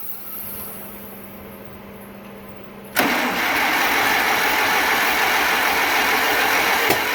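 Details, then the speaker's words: 1947 Farmall M tractor, first start after engine rebuild, after rechecking internal magneto timing: it catches abruptly and runs ragged with a sharp pop, shooting flames back out the carburetor. Timing suspected. "well we just shooting flames out to carb now so I don't think we're on"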